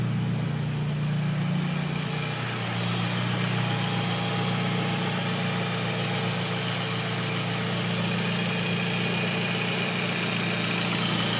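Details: Audi A4 B5 turbo petrol with GTRS Eliminator kit, 630cc injectors, Eurodyne tune, FMIC and A8 MAF, idling with an uneven lumpy drone; cause unknown.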